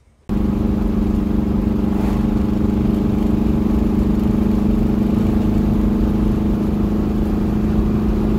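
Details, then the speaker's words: 1987 Acura Integra on a test drive after a timing belt, copper spark plugs and a fuse holder replacement; cylinder 3 compression is slightly low. A steady drone carries a rough, uneven pulse as the engine misfires. Fuel pressure read only 17 psi at idle, so the external fuel pump was then replaced. "after that i went out and took it for a test drive and you can hear the engine still wasn't running right"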